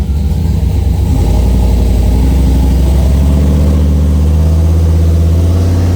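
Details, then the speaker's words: Dodge Dakota R/T with SBE turbo on the dyno, down on power despite good compression, leak-down and boost-leak checks: loud deep engine pulling hard with a rough, uneven beat, still sounding like a misfire after new cap and rotor; same power, cause unconfirmed. "Run through new cap and rotor. It sounds like it's missing. To me, it sucker sounds like it's still missing."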